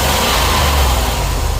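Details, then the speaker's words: After a cracked ignition coil causing spark tracking and misfire was replaced along with cap, rotor, spark plugs and wires, engine runs and revs smooth and even with no skip or stumble. "Put a new coil on. No more spark tracking. Cap rotor. Spark plugs, new wires. Got that misfire taken care of."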